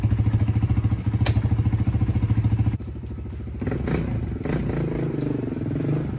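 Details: 1996 Honda TRX300EX single-cylinder ATV that would not move when the clutch was let out in gear, chain reinstalled, warming up: even, steady idle, then revs cleanly and settles without knocks or misses; sounds healthy.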